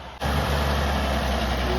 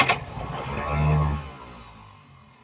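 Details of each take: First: Restored 1929 Chevrolet International truck "Betty Bluebell", first start in a long time after refilling fluids, manual spark advance, choke and throttle: settles straight into a low, steady, even idle; sounds healthy. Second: Restored 1929 Chevrolet International truck six, first start in years: cranks, catches briefly with a short rising rev, then dies; fuel starvation because the carburetor metering jet was screwed in tight, since loosened.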